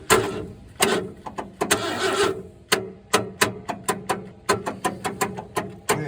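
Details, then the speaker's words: 1968 Ford F100 not run since 2001, cranked with remote starter switch: short cranking bursts with no firing; crank no start, no spark at the points, owner suspects bad coil. "Doesn't appear to be any spark at the points. which could suggest a bad coil."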